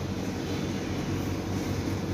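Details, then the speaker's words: Suzuki Ertiga with a cabin rumble above 40 km/h, front wheel spun on the lift: steady low rumbling growl with no knocking, as the wheel does not rotate smoothly. Worn wheel bearing; the brake pads are also worn and scraping. "waktu kita tes pas jalan itu terasa gemuruh sekali Hal ini karena putarannya ndak lancar"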